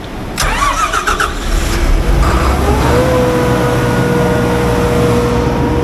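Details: Diesel generator after an air leak was tightened, both fuel filters filled and the system primed; it cranks briefly, catches and settles into a steady, even run with no misses or knocks. Runs healthy.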